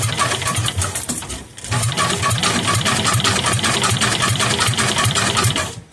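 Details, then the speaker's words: Kohler K241 single, sat for years, bench test, spark plug in, starter-generator belt sitting crooked, battery connected: steady rhythmic chuffing about four beats a second for several seconds; normal cranking. "that's spinning it fast enough to crank it over to see if she'll fire"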